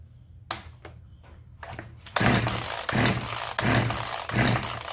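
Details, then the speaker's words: Genoa 3800 chainsaw, long unused, no primer pump, choke not closing fully: four pull-cord cranks each giving a short chug that never catches; no start. "다른것 같은데 지금 폭발을 하지 않습니다"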